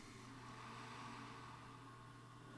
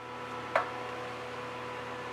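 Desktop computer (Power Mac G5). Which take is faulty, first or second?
second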